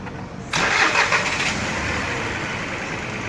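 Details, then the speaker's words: 2018 Ford EcoSport 1.5 three-cylinder Dragon engine, first start after repairing an upper-engine noise caused by wrong oil for its oil-bath timing belt; brief crank, clean catch, steady even idle, no knocks; normal start. "o site só tem barulho motor redondinho Problema resolvido"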